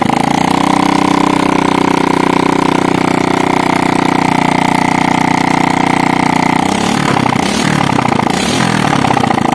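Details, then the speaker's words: Motorcycle still smoking white after an engine teardown, started with the exhaust removed: a loud, raw, open-pipe idle with an even steady beat and some flutter near the end; normal idle, with oil leaking and wetting the exhaust area. "ya ya gini kenalpotnya sudah kita lepas untuk mempercepat durasi videonya ya karena terlalu panjang juga membutuhkan waktu yang lama untuk proses uploadnya ya ini kita akan langsung Nyalakan lagi ya ini ya pasti suaranya teka-teki teka-teki ya"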